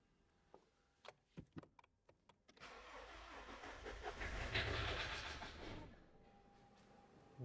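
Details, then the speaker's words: BMW E61 with N47 diesel, after timing chain replacement with injectors and rail removed: bleeding the fuel system, a few clicks then several seconds of steady cranking as fuel is drawn through before it settles. "now I am bleeding the fuel system you can hear there's a lot of sounds happening what you think it's going to start here goes"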